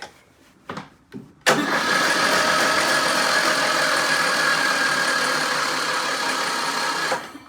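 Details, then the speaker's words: 2003 Craftsman LT2000 mower with 18.5 hp Briggs & Stratton Intek, water in intake, carburetor removed and dirty, on jump pack: steady starter cranking, three to four turns a second for six seconds, no firing. Cranks but does not start. "My battery's dead, but it does, and key works and everything, solenoid."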